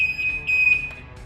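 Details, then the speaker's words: Outboard/stern drive temperature sending unit shorted directly to ground for testing: steady, high-pitched electronic beeping that pulses on and off as the gauge reads fully hot and the overheat alarm sounds, confirming the gauge and wiring work. "we can now see that the bottom right corner cor second one in is now a reading that it's totally hot or that the engine is overheating and the alarm is going off"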